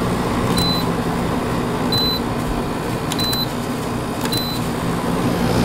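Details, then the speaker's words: Kenmore 5600 BTU window air conditioner made by WCI in February 2000, LG compressor, GE fan motor: even fan rush and low hum with faint occasional ticking, loudest part the slinger; running normally. "I'm honestly the loudest part of this air conditioner is the Slinger and even that's not very loud"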